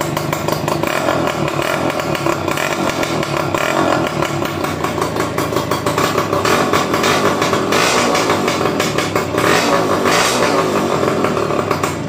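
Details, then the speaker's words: Yamaha F1ZR two-stroke after seized/locked engine repair (head, magneto, clutch checked; one-way starter clutch removed): starts on one kick, raspy steady buzz, smooth, no knocking or clatter; healthy running. "Enak, engkol sekali langsung hidup. Dan mesin juga halus, nggak ada kemelotak atau apa wes."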